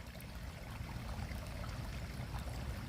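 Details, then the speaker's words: Sump pump discharge line pushing rainy-season yard water uphill, not a foundation or spring drain: steady, even rush and gurgle as air is pushed out of the line, with no surging or sputter; flow is normal. "it's pushing all the air out of the line as it pushes the water uphill it's removing the air from the line"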